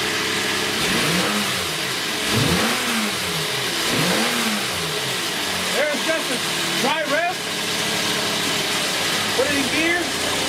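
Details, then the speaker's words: 2016 Kia Sedona van after replacing a bad throttle body (the cause of no throttle response) with an OE part: the engine picks up cleanly on a single blip and settles back to a steady idle; throttle response is healthy. "we want to give it a little a little gas you'll let you listen to it I'm going to do this one time and that be the end of it"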